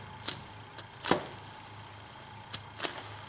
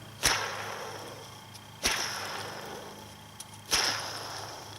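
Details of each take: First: BMW E46 idler (deflection) pulley spun by hand off the engine: the good replacement runs nice and quiet with only light handling taps, unlike the old one's grinding bearing, which can be loud on cold start. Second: BMW E46 worn idler (deflection) pulley bearing checked by hand spin off the engine: gritty, grinding whir as it spins down, unlike a quiet new one; this bearing can cause a loud noise on cold start or at idle.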